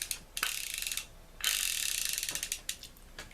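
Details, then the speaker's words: Ocean City 920 level-wind fishing reel after cleaning, lubrication and reassembly, with a cracked side plate, cranked with a very loud clicker that adds winding resistance; fine rapid crisp clicking bursts following each handle turn, reel turns freely, functional. "That is a very loud clicker. It also adds a fair amount of resistance to being able to wind this thing."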